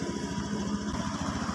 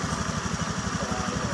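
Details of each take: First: Honda Scoopy injected scooter after repairing a broken sensor wire, idle 1600 rpm, injector 2.7 ms, O2 sensor graph normal: quick even putter with steady beats, no misses or stumbles; idling cleanly. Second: Honda Scoopy with MIL flashing 7 short blinks; broken engine temperature sensor wire makes the ECU read a cold engine and add injector fuel; fast, slightly uneven idle putter; rich-running idle.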